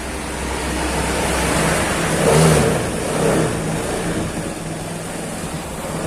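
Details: Honda Beat scooter with a high-compression 54 mm piston, new battery charging at about 13 V: slow, heavy starter cranking that swells before the engine catches on the first try; high compression is loading the starter.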